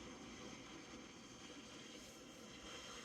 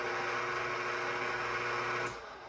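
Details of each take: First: Zacme DC-motor stand mixer after its kneading timer shuts the motor off: a soft, steady, airy whir continues until the power is switched off, believed to be the internal cooling fan running on. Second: KitchenAid stand mixer with an AC motor that has been overheating and shutting down while kneading dough: a loud, steady motor roar with a high whine that cuts off abruptly. The mixer is excessively noisy compared with a quieter DC-motor Zacme mixer.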